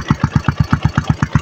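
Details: Yamaha Sniper 135 after starter push-button fault found and brake fixed: even single-cylinder idle, steady thumps about seven a second, no stray knocks; normal idle.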